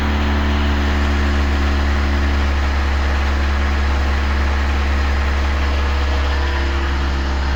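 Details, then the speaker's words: Engine at idle with knocking under the valve cover, believed caused by lost oil pressure starving the top end and wearing a valvetrain part: light, regular tapping about three or four per second; valve train tick. "что-то стучит стучит у нас в ад клапанной крышки да так это значит у нас это у нас значит вот такая вот хрень там стоит"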